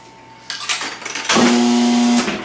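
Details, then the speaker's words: Acme Rollette coin-op game after repair: a clatter, then a steady low buzz as the ball loads in, just under a second here although about 2 seconds is expected; normal ball-loading buzz. "Alright, you should hear that buzzing sound for about 2 seconds while it loads the ball in."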